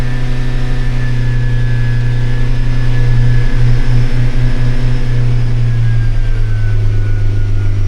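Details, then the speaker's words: Car engine stabilized, held at about 3,200–3,600 rpm with a smooth, even drone and no misses or surging. It runs healthy. "Let's go ahead and give it some RPM. About 3,200 should do it. Let's try 35 now, we're 36. Trying to stabilize as much as I can."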